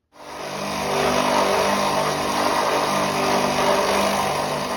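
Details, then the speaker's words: Premier 556 pool pump motor, 20–30 years old, sounds like a train: loud, rough, rumbling roar with steady hum from a worn motor bearing whose outer race spins loose in the housing; owner decides to replace it. "So, I think it's fair to say that it's probably not supposed to make that noise. That pump is I'm I'll tell you in a minute 20 to 30 years old. It's done its time."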